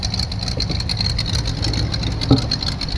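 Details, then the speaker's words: 1984 Chevy Caprice two-door, bought not running, on its first start after sitting, check-engine light on, slight exhaust leak: busy, slightly uneven fast idle over a low rumble while cold, as the choke hangs on too long. "Bit of an exhaust leak. The choke is hanging on a long time."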